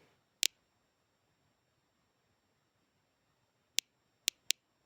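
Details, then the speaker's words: DP-5V dosimeter measuring background in a room: four sharp, isolated ticks scattered over five seconds, normal background radiation clicking, with the needle reading roughly 0 to 0.2 on the scale. "Ну ось, в принципі, оце і є він, цей славнозвісний тріск, який став так популярний завдяки фільмам та іграм."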